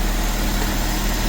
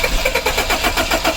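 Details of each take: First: 1984–89 Toyota Van Wagon after fuel pump work and refuelling with ethanol-free fuel: steady, even low idle rumble with no knocks, misses or hunting; the existing fuel pump works and the engine idles normally. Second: 1984-89 Toyota Van Wagon after fuel pump work, fuel injector relay jumped with a paperclip, old contaminated fuel still in the system; uneven cranking bursts until the engine catches and idles roughly. First time it runs on its own.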